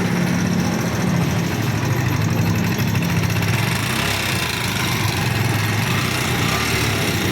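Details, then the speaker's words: NS150 motorcycle engine idling with fast steady metallic ticking over low thump; worn exhaust rocker arm found, intake rocker, head and conrod okay. "Okay itong rocker arm na exhaust exhaust may tama ito namang intake yung intake wala So yung problema niya ito lang exhaust"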